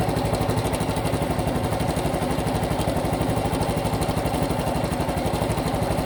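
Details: Honda Cub Pro at idle after an oil change meant to fix it: steady tapping about four times a second over the exhaust putter; abnormal engine noise persists, cause unknown.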